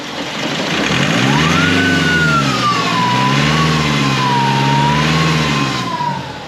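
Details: 2005 Nissan X-Trail, running lumpy: loud whistling whine rising and falling with each throttle blip over the engine note; failing turbocharger.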